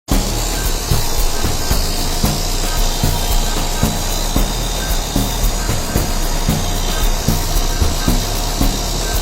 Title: Failing internal bearings on this compressor. Wouldn't pump down. #explore #hvac